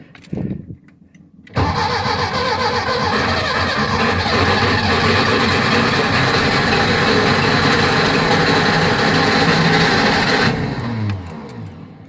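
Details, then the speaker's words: 1976 Porsche 914 Type 4 air-cooled engine converted into a 1968 Beetle, first start after priming the fuel pump: a short crank, then an even, steady idle with no knocks or misses. "il court elle court elle est prête"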